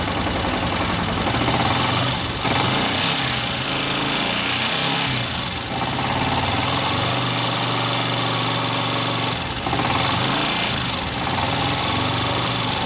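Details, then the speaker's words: Yamaha R15 motorcycle idling, rough metallic clatter dominant at cylinder block and head; valve clearance set too tight wears valve stems and adjuster bolts, causing valve train tapping. "Oke jadi seperti itu suaranya Suaranya terdengar dominan di bagian blok silinder dan Head Silinder ya"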